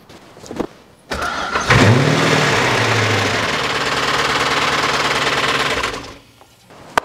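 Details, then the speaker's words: Porsche 986 Boxster with V8 engine swap, first start after reassembly, oil filled, coolant untouched: starts and runs with loud busy chatter over idle, cause unknown to owner, needs investigation. "accord ça démarre et fonctionne mais ça ça sonne très bavard comme ça quelque chose fait beaucoup de bruit je ne sais pas ce que c'est"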